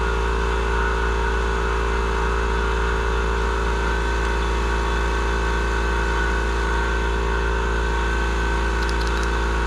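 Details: Murray 42-inch riding mower, 18.5hp Briggs & Stratton PowerBuilt OHV, after cleaning a completely clogged carburettor fuel inlet: steady drone at constant pitch and fixed throttle, no surging or misfire; running smoothly.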